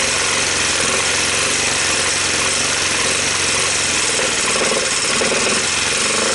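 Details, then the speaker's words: 1986 Honda TRX250 single with weak compression, new starter and gears, portable CDI and carb hack, smoking from exhaust and breather: rough, clattery run with a harsh metallic rattle beyond valve noise; engine judged unsavable, shifter not engaging gears, cause unclear. "it's got a couple of bad sounds to it more than the valves right somebody's already been in there fooling around with it"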